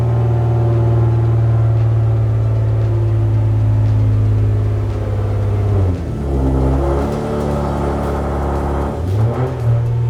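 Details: Infiniti G37 pulling away after axle replacement, fixing a clunk and no drive after a hard first-gear launch: engine rumble rises and falls with no clunks, grinding or whine from the rear; normal driveline operation.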